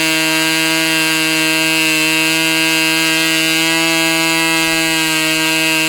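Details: Fox twin-cylinder glow model engine, customer's, after low-speed needle adjusted about three clicks: steady, piercing high-pitched scream at full speed, even pitch with no misses or sag; clean normal high-speed run.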